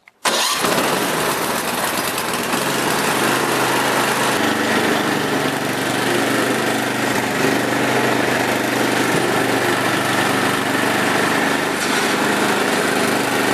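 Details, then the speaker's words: Snowblower after replacing a broken 1/4-inch bolt that stopped the drive sprocket turning: quick catch, then a steady, even small-engine drone with sprocket and chains driving; runs and drives normally. "and now when I even move the blower it does sound different because you can hear the sprocket and the chains turning when the bolt was broken the sprocket wouldn't turn and I'll start it up and just show you that the drive actually works"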